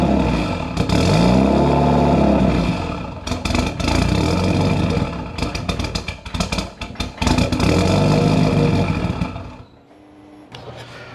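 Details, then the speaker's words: Built Mitsubishi Evo 8 with Kelford 272 cams and a failed IAC swapped for an Eclipse unit, start attempt after fitting a new resistor. The engine catches and revs with blips and clatter, surges and dies. It won't hold an idle; AEM reads 14.7, cause unconfirmed. "right so we're still having difficulties uh I'm my AEM gauge is reading 14.7 and it's just not doing anything I still want idle"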